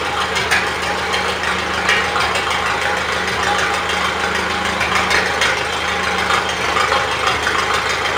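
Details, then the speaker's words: 1970s Miller Big 40 welder generator with strong Red Seal engine, welder that generates power but won't weld: even low idle patter, speed never rises when grinder load comes on, idler not responding, though current is produced. "Grinder. Gas not picking up. Rev up. Does mean we're getting current though."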